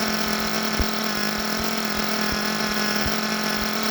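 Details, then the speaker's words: Force Pro 21 nitro engine on Todd Method break-in, pre-heated, idle raised so it would start and run: steady high buzz with a slightly blubbery uneven edge; running very rich on its break-in tune. "Let's fire her up. She's very rich. Like I said, I raised that idle up to make sure that it would start and run."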